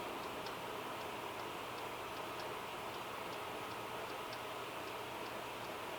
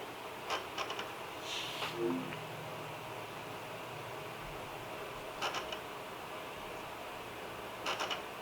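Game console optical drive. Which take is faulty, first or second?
first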